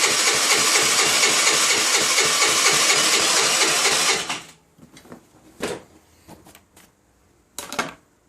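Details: 2008 Baotian Tanco 50cc four-stroke scooter that can take 12 minutes to start: about four seconds of rapid even chugging that cuts off without catching, then scattered clicks; cranks but won't fire, hard starting.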